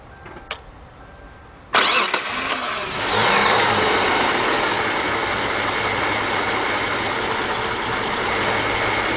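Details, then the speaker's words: 2002–2005 Hyundai XG350 3.5 after timing belt and water pump replacement, coolant refilled: quick crank, catches at once, settles to a much quieter, fairly even idle with slight roughness noted at times; normal idle. "oh yeah that's much quieter but we did notice in the beginning it ran a little rough and I can see sometimes still is running a little rough"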